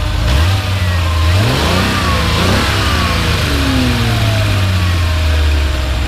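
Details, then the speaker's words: 1982 Ferrari 400i V12 with CIS injection and automatic gearbox, warm after running: smooth, even engine note climbs and falls cleanly through free revs with no knocks or rattles; normal, solid-sounding V12. "I think the motor is pretty pretty solid overall and sounds good so go and rev it up another time"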